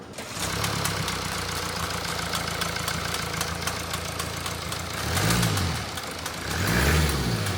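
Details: Mercedes E-Class with the OM654 diesel, idling: a rapid, loose slapping knock about four a second that sounds like a bottom-end, top-end or turbo fault. The cause is a half-torn accessory belt flailing.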